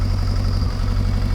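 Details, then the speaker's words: Cold Kawasaki ZXR750 H1 motorcycle idles with a deep, lumpy, uneven beat and occasional backfire; vacuum gauges show carburetors far out of balance, to be synchronized after warm-up. "Not surprising. It doesn't sound right. It's back backfiring every so often."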